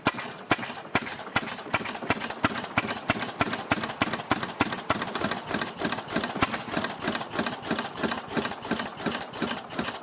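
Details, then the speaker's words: Restored 6hp Fairbanks Morse Model Z engine on kerosene, hooked to a buzzsaw: sharp, even clacks about three per second from the spring-loaded intake flapper over a slow, steady beat; engine running smoothly and normally. "And you'll hear this little flapper clacking away when the engine's running because it's on a spring. So as every time the engine doesn't create a vacuum, that spring slams the little flap shut and doesn't create any kind of draw."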